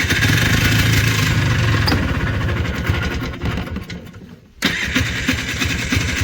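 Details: Polaris Trail Boss 250 two-stroke ATV (titled 2000, owner guesses 1988 or 1992), running outdoors in cold weather after carburetor work. Crisp, even buzz with a short drop that picks right back up. Now runs cleanly, back to life.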